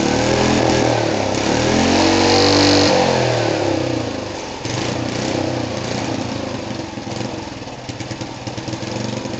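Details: Rebuilt small single-cylinder go-kart engine on its first start after the rebuild: it revs freely up and down, then drops to an even, steady idle with no knocks or misses. Healthy running.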